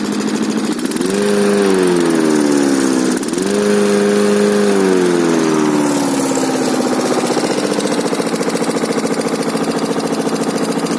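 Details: K800 diesel after repair revs up and eases back twice, then settles to a smooth, even idle with no knocks or misses; normal running.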